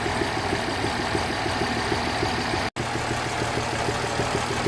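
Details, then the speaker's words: 2006 Mercedes S320 CDI W221, OM642 V6 diesel, engine and glow plug lights on, idling with a low rumbling hum, uneven rumble under a ticking beat, not sounding right; rough running. "but it's definitely doing some sort of a rumbling noise, sort of a hum noise. It doesn't sound right."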